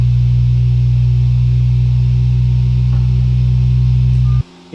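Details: Sovol SV07 (Plus) 3D printer running a Klipper input shaper "Measure X" test: a loud, steady low buzz with pronounced vibration for about four seconds, then it cuts off; normal.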